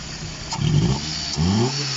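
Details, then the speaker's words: Opel Astra F, possibly a 1.6, previously a non-runner; first start after fitting the belt, with the water pump still leaking. Two quick throttle blips, revs climb cleanly and drop back to a steady idle, no knocks or misses. Little smoke but some blow-by; sounds healthy. "It sounds healthy. It sounds like a little 1.6 Astra F."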